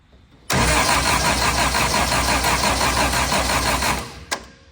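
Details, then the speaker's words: Austin-Healey Sprite with a newly fitted 1275cc A-Series engine, first start, choke pulled and spark confirmed: fast, steady starter cranking for four seconds without catching; no fuel reaches the filter and the electric fuel pump can no longer be heard. "not getting any fuel in the filter yet. In fact, I don't hear the fuel pump at all anymore."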